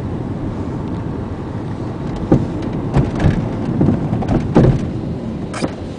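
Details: 2000 Volkswagen Jetta 2.0 driving: low road rumble broken by irregular hollow clunks and rattles from the rear driver's side over bumps and sometimes during braking; rear suspension clunk, cause unknown.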